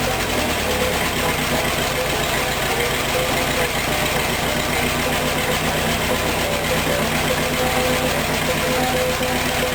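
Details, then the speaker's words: Rat rod engine idling after a timing chain install; timing is not yet exact. It had an off-rhythm, lopey return from revs before. Now the idle is even and steady with no hunting, since the cam chain no longer flaps. "now when it comes back down it's steady it it keeps the same Rhythm um cuz that cam chain isn't flapping around in there anymore"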